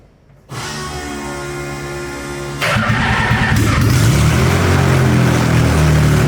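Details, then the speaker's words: 1984 Nissan Z31 300ZX track-car project, first start on the factory key after a full rewire with many parts missing: starter whirr, then a steady, even idle with no knocks or misses, music over it. "it's finished it'll start up everything works at uh we're in a residential area so there's no one here to piss off so we'll let you hear for a couple of seconds"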